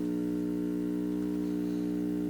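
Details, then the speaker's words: Hallicrafters S22R shortwave tube receiver, powered up on 70 V AC: constant low 60-cycle buzzing hum; owner suspects a bad filter capacitor. "wait a minute there's something that sounds to me like 60 cycle hum"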